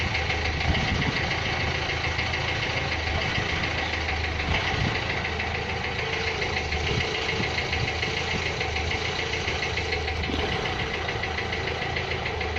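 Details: Renault Clio 3 1.5 dCi 105 hp diesel at steady idle with a hard, uneven metallic clatter on top, harsher than normal combustion knock; injector noise, one injector faulty.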